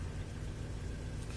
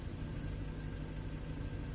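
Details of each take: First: Engine running with an Arduino fuel and spark piggyback delaying the crank signal to the ECU; after timing adjustment is turned back, the engine returns to an even, low, steady idle with no misses or knocks. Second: Engine on an Arduino spark piggyback delaying the crank signal to the ECU, timing retarded by potentiometer to roughly six to eight degrees: steady idle turns uneven and lumpy; returns to normal when adjusted back.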